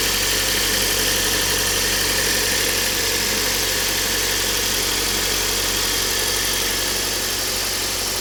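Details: Kia Cerato engine knock at idle: steady idle with a faint, fast tapping about three per second riding over the engine; cause unknown.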